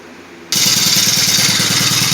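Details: Cub Cadet 4-cycle string trimmer just after a carburetor replacement, running with a makeshift air filter: it catches at once and settles into a steady, even buzz with a fast, regular firing beat. Normal running.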